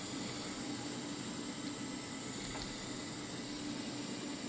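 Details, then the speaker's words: VR V6 turbo Commodore ute, new 800+ hp fuel system with Bosch 044 pump, fuel pump relay jumped: quiet steady hum with soft hiss, no surging; pumps running normally, 60 psi pressure, no leaks. "this on, you can hear that 044 goodness, and we're looking good."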